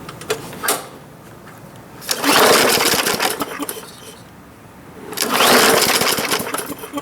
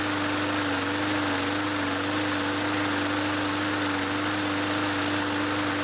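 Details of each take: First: Bolens (MTD) 21-inch push mower, free, after priming: small engine catches, revs briefly, dies, then surges again, won't hold steady run; owner suspects carb needs cleaning due to varnishy-smelling old gas; engine cutting out. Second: Free Bolens (MTD) 21-inch push mower that cut out after startup, after carb cleaning with fresh fuel: engine settles into a steady, even drone with no surging or cutting out; runs healthy.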